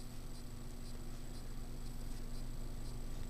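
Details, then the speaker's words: Cheap 30" Home Collection Lincoln ceiling fan on high speed, about 210 RPM: constant low audible motor hum under a soft airy rush, no variation; hum attributed to the fan being cheap. "Yeah, because it's so cheap, it does have a very audible hum to it."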